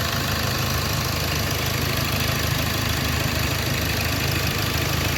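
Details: Hyundai Accent CRDi diesel idling after cranking no-start problem was solved: steady, even, unbroken clatter at idle with no stumbles; running normally.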